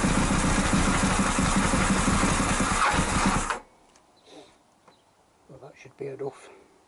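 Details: Honda CBR1000F, previously firing on only three cylinders with number two cold: smooth, even four-cylinder burble, no misfire, then shuts off cleanly; now firing on all four, small oil leak remains.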